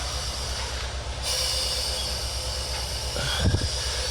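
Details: 2003 Chevy Silverado 2500 HD 4x4 6.0 with P0300 misfire code, about 135 psi compression on one cylinder: engine off, cylinder pressurized, steady hiss of air escaping out the exhaust, burnt exhaust valve.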